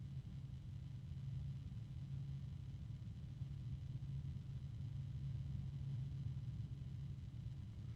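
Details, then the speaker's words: Computer fan rated 1350 RPM, run at maximum speed on a fan controller while sitting on a desk: a steady low droning hum, a harmonic resonance noisier than expected. "H honestly for a 1350 RPM fan it's a little bit noisier than I would anticipate it being especially it's that it's 1 14 I'm sorry 140 and sitting on my desk it's now giving off a harmonic resonance"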